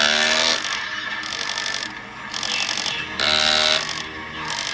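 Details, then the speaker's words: 2008 Gemmy Spirit Halloween Jason Voorhees animatronic, opened-up body turn mechanism: short bursts of high buzzy gear whine with fast rattling ticks; cracked plastic drive gear making it extremely loud, to be replaced. "And it is making the mechanism extremely loud because of the crack that is in the gear, as you will hear right here."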